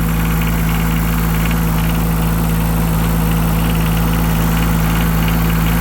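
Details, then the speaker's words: Yanmar 3TNV70 three-cylinder diesel in a Cat 300.9 excavator, after replacing injectors and glow plugs: a steady, even low idle with no knocking, much quieter than before, though it still smokes. Normal idle. "Much quieter."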